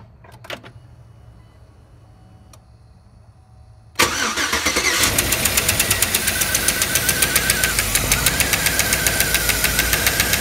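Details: 2007 Chevy Tahoe starting up, then a sharp steady tick of about four per second over the idle, from a collapsed lifter.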